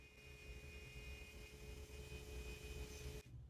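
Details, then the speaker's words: Volvo 740 with a hot-start fault, main fuel pump under the car run via a jumper wire: thin steady hum at constant pitch, then clean cutoff. Pump works normally; injectors were later found to be the fault. "so now I've actually left my jumper wire in you can probably hear the pump running I can feel it in the rail as well I can feel the fuel passing through the rail under pressure"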